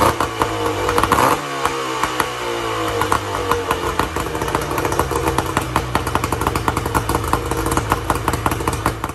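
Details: 1994 Tohatsu M40C two-stroke outboard after water pump replacement and unseizing, run on a water hose: crisp, even rattle with clean firing, then cut off. The prop sometimes spins harder than it should in neutral. Normal running.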